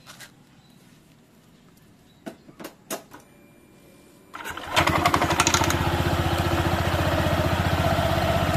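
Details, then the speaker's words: Honda PCX 160 scooter with Nmax dual clutch after 2000 km, roller housing repaired with porting glue. Clicks, then smooth, even idle; the roughness previously heard when throttle closed is gone. Normal idle. "Nah suaranya seperti itu halus teman-teman beda dengan Sebelum saya kasih Lem porting dia ketika turun gas ada suara kasarnya"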